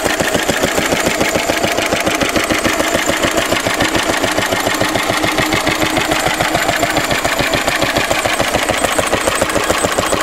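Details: A 1942 Lister D-Type stationary engine, 12 spec 12 DH, 80 years old, cleaned out after standing a long time. Steady single-cylinder beat at about three and a half firing thumps a second, even and unbroken; running sound and healthy.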